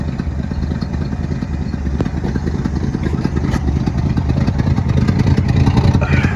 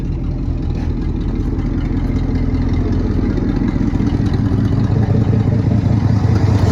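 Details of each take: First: 1972 Ford F-350 bought at auction, old V8 idling: low lumpy burble with faint sharp puffs on one side; owner suspects an exhaust leak there, a donut gasket. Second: 1972 Ford F-350 V8 auction truck, just revived: deep, even idle with steady low rumble, no clatter or knocking; runs and sounds good, possible exhaust leak on one side.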